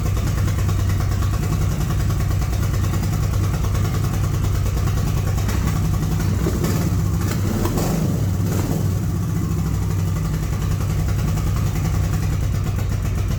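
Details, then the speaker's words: Honda Shadow V-twin (two cylinders, four spark plugs), carburetors cleaned and rebuilt, 27.9 miles since revival, idling before a plug change: lumpy, uneven beat with a single stumble. Rough idle with an occasional hiccup; owner suspects carb tuning or valve adjustment. "there's a slight hiccup on this bike and it could be the carburetors might not be tuned like they should be and i think the valves may need to adjust it a little bit"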